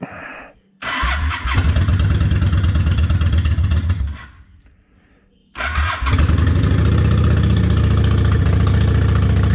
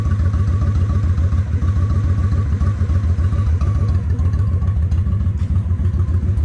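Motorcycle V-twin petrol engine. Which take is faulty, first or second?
first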